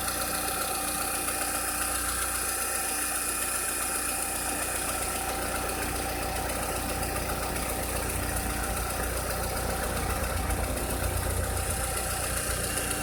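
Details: 2006–2007 VW SpaceFox engine at idle: a steady idle with an uneven ticking knock of about two or three per second; a strange engine noise whose cause is not identified.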